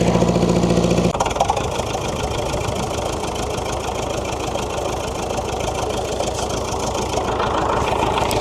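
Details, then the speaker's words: David Brown diesel tractor, first start after sitting 10 years, being driven: steady beat with rough popping tick about three a second; owner suspects tappet/valve clearance needs setting with a feeler gauge, unconfirmed. "I think it needs a feeler gauge running over the tappets. I'll say that's what that popping is."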